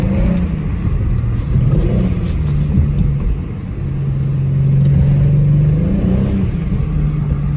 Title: Misfire cylinder 5 with unknown ticking noise